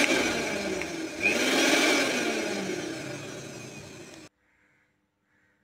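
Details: Mixer (mixie) after replacing the faulty 1-2-3 step on/off switch and refitting screws: smooth high whirring run that swells, then winds down evenly to silence when switched off; motor and new switch working fine.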